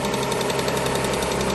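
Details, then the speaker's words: Alfa Romeo 156 2.5 V6 Busso CF2, one owner, after replacing all six spark plugs and cracked coil packs that caused a popping misfire: steady, even idle, no pops or misses, running silky. Normal idle after repair. "No more pop, pop, pop, pop, pop, pop, pop. We've got Busso Beauty. I'm happy. So happy. The customer's gonna be even more happy. Running silky, as a V6 Busso should."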